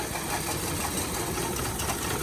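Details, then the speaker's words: 2000s Hyundai Accent idling rough with misfire: pulling each coil plug in turn, good cylinders make it run worse, plug back and it smooths; uneven, stumbling idle with irregular knocks, chasing the dead cylinder. "you see how it gets worse plug it back in it idles up runs a little smoother"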